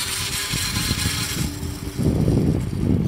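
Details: Homemade electric bike built with an old scooter motor, first run in a low gear: loud steady motor hum with a dry scraping rasp growing under pedalling load, because the scooter drive chain rubs on the homemade frame; owner plans to fix.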